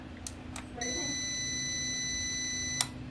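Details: Repaired UPS powered up with a used 12 V battery connected and mains plugged in to energize the relay: a single steady high beep about two seconds, then a click; it starts normally and resumes charging.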